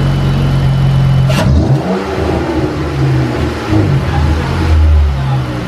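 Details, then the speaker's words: 2015 Chrysler 200 3.6L, first start after fitting an 80mm ported throttle body (replacing the stock 74mm) with cold air intake and modified catback exhaust, in the garage: clean blips, smooth even note, no misfire or knock; healthy free revving. "Oh my gosh, it works! Rev it up! Rev it! Woo-wee. That sounds awesome!"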